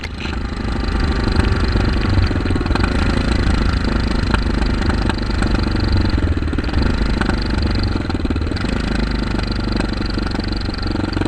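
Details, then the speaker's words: 2008 Kawasaki KLR650 with 3,468 miles, fitted with an aftermarket CZR muffler and pipe via an adaptor, carbs not rejetted: a deep, even single-cylinder thump at steady idle with no misses or knocks, a healthy throaty exhaust. Normal idle. "At any rate, that's what it sounds like at an idle, and"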